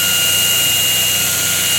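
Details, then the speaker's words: 2x72 belt grinder running after a very slight tracking adjustment: steady, even high whirr with constant tone, no pulsing, rubbing or wobble; belt tracking true, normal smooth running. "nice and smooth clean no wobble like that thing's not going going like this it's tracking [Music] beautifully yeah so the tracking beautifully running beautifully everything's working great in that"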